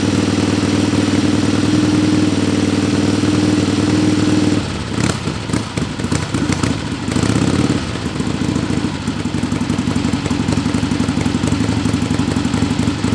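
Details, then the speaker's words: Barn-find 1961 Harley Sportster XLCH Ironhead with a cheap knockoff S&S carb, fuelled by squirt bottle into the carb because of a rusty tank: steady loping twin idle, then sharp throttle blips with clatter, firing every beat; normal idle. "barn fine 1961 sportster it runs like a top it's like a dream it's perfect"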